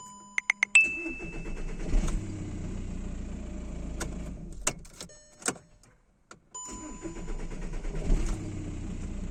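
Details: 2009 VW Jetta 1.9 TDI (BXE) diesel with P0341 camshaft position sensor fault: long starter cranking before it reluctantly catches. A new Delphi sensor (940 kΩ) didn't fix it; an OEM sensor (469 kΩ) cured the hard start.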